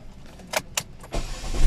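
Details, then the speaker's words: Chevrolet Spark after repair of overheating with oil and water mixing in the radiator, temporary water coolant, A/C off: a few light clicks, catches on one short crank, settles to even idle; normal engine start. "Ayun, one click. Okay siya, hindi siya wala siyang bakas ng pagka-overheat kasi one click siya."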